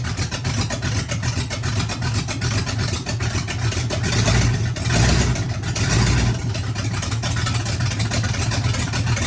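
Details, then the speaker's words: Oldsmobile 400 G big-block V8 with a Quadrajet, sitting a couple of years, run briefly without coolant after its first start. Deep, even V8 beat holds through a brief swell in revs with no miss, knock or tapping, no smoke: runs sound. "Any questions? I guess it runs good. But no coolant, we can't run it long. There you have it. It runs great. No smoke, no nothing."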